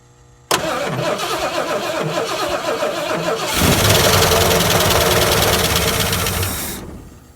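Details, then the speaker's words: 70 or 71 Ford Torino GT 429 that sat about 15 years, cranked on a battery charger with starting spray: steady chug for three seconds, catches roughly, roars briefly, then dies; no fuel reaching the carburetor, runs only on spray. "All right, we made noise. Sweet. I guess figure out how to get fuel to that carburetor and do donuts."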